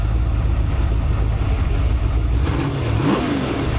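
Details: Freshly built 408 stroker (1979 Ford 351W block, 4" forged crank, AFR 185 heads, hydraulic roller cam, Quick Fuel 750 carb, primaries rejetted 72 to 75) on run stand: deep V8 rumble climbing cleanly through a rev and settling, no hesitation; normal revving.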